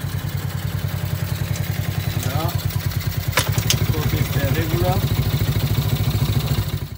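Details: ATV with a 107/110/125cc single-cylinder engine, first run after clutch disc replacement: even idle with steady, regular exhaust putts, running smoothly with no clatter.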